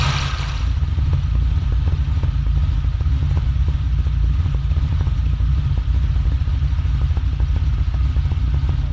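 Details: 1964 Ferrari 250 Lusso V12, in for a fuel issue, idling cold with ice-cold oil while warming up, carbs balanced: a deep, even, low rumble holding steady with no misses, knocks or ticks; normal idle.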